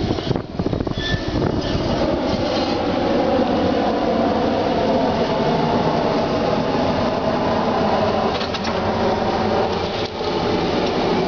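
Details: Honda Civic: a continuous rough, metallic grinding drone like steel rubbing on steel runs through the whole recording; cause unknown.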